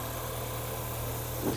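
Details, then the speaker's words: Mk2 Audi TT after full service with fuel filter and coil packs changed, fuel pump primed two or three times before starting: even, smooth low idle hum, no misses or knocks, ticking over; normal start and idle. "do that two or three times and now we'll start it and she sounds like she's ticking over"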